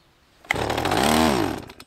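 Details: Stihl MS 180 chainsaw, about 8 years old, starting after long disuse with a drop of petrol put on the piston and the control set to position 1: a sharp pull, then it fires for about a second, pitch rising and falling, before dying.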